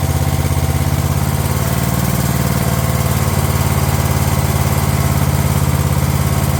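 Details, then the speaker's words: Craftsman LT1000 lawn tractor on a previously rebuilt Walbro carb replacing the poor-running aftermarket carb: steady single-cylinder thump at even pace, no surging or hunting; runs much better than before; normal running. "Funny just how much a machine can change just by just running better. This thing seemed like an absolute pile of crap before, but now that it actually runs half decent, it seems like it's ready to sell already."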